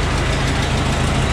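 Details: Ford Model T after sitting about a week, cold start using choke, timing then advanced, running on magneto: low, chugging idle holding an even, steady beat; settles and runs smoothly.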